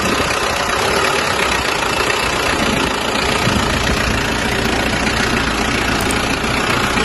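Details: Mazda BT-50 diesel after loose turbo cartridge repair and vacuum solenoid valve re-grounded to the body, previously rough with no power; steady even diesel clatter holding constant speed, no misses or knocks; normal idle.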